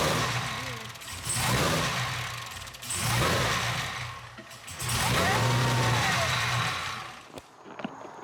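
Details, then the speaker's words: Cadillac CTS-V V8 at first start after BTR Stage 3 cam and valve spring install, untuned: revs rise and sag in repeating waves every couple of seconds, never settling to idle; no leaks, surge from the untuned cam. "Alright guys, so the Cadillac does start, no leaks, it does not idle, it idle surges a lot."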